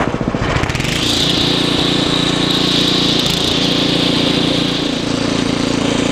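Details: Ariens ST724 snow blower clearing snow, rebuilt carburetor, new fuel lines and impeller bearing; microphone apparently clipped in hood, likely exaggerating noise. Steady, even engine note under load with constant auger whine above; normal running under load.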